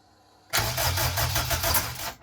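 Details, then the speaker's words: K-swapped Honda Civic EJ9 first start on standard EP3 base tune: starter cranks, then rough, uneven pops and chuffs with no clean catch; compression and fire present but flames come out of the throttle body, backfiring through the intake. "Okay, so we have compression, we have fire, but it's coming out of the intake through the throttle body. It's coming outwards, which is the wrong way."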